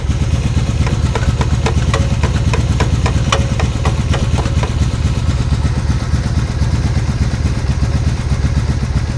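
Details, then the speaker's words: 1996 Honda Magna 750 that sat for about four years, running cold just after revival. Deep idle with an uneven, loping beat and irregular pops: a misfire on one unknown cylinder. Carb is leaking fuel; owner suspects carbon buildup. "I'm misfiring on one of the cylinders. I don't know which one, but it sounds like it needs to be just run through a little bit. You can hear it popping."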